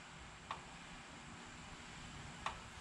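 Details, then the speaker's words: Craftsman LT2000 lawn tractor whose old engine was judged done, with no engine running: two faint sharp clicks about two seconds apart over a quiet hiss, before everything is disconnected. The source of the clicking is unknown. "i don't know why it clicks like that you hear it"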